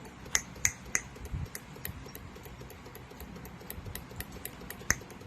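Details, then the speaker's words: Honda City CNG with engine shake at idle in gear: coil 1 under test with sharp, steady spark snaps, no missed or skipped firing, and no high-voltage leakage (coil 2 later leaked badly). "1ตัวที่1โอเคนะครับไม่มีรั่วไฟสูงนะครับ"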